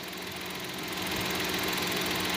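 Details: GM Chevrolet Tracker 3-cylinder turbo, fully hot after much driving on a hot afternoon, in reverse with brake held: even idle hum with a light ticking rattle; normal hot idle, quieter than the loud first cold start; dealer mechanic said not to worry.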